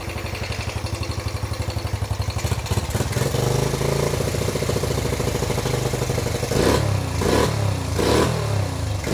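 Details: Freshly rebuilt, nearly 40-year-old Yamaha YFM80 Badger single-cylinder quad on first heat cycle: even idle thump with crisp throttle blips rising and settling cleanly, slight smoke burning off muffler paint; valves quieter – normal.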